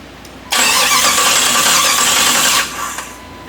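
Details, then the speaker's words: Jeep TJ with swapped Chrysler 318 V8 and AW4 transmission, first crank: strong, even starter churn for about two seconds with no grinding or clicking; normal cranking. "that sounds perfect wow"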